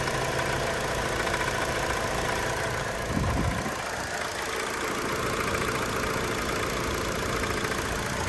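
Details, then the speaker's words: 2002 Hyundai Accent at idle: an irregular rattly knock, roughly three to four a second, over the engine drone; the owner hopes it isn't lower-end knock, and the source is unconfirmed. "Hear a little bit of a knock there. You hear that? Almost sounds like a rattle though."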